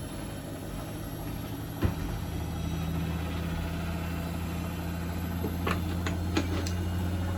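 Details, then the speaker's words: Bosch WFP3300 washing machine after new drum bearings and door seal, citric acid test wash on 1600 rpm spin: low, steady hum and soft even whir as drum spins up, no rumble or grinding; not silent but quiet, bearings healthy. "so it's not super silent as it goes through as it goes through the spin and increases the ribs but it's pretty good it's not ringing in my ears like the other machines"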